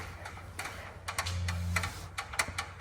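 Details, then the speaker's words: Sharp, uneven valvetrain ticking about four a second over a low drone from an 89 Ford F150's 302 V8, parked for years, as it tries but fails to run. "That's about the tickiest motor I've ever heard."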